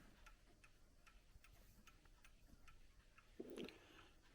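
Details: Plastic/resin chiming clock bought at a car boot sale: quiet, even tick-tock with evenly spaced beats, a little handling noise near the end; the clock is in beat and running normally.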